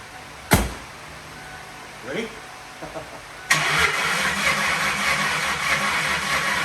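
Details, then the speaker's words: 1997 Lincoln Town Car Signature started: it fires after a few cranks and runs rough, with irregular pops and sputters; owner suspects a clogged catalytic converter restricting the exhaust, and possibly timing chain noise; unconfirmed. "I don't know if that would have anything to do with the timing chain making noise or what but it seems to be backfire sputtering and whatnot so let's get that cut out"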